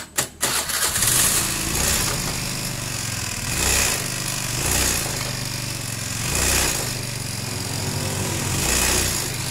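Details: Honda Beat scooter judders on take-off, revs surging and sagging unevenly every second or two; suspected CVT clutch fault such as worn or hard clutch shoes, worn clutch housing, loose spring or loose pulley nut.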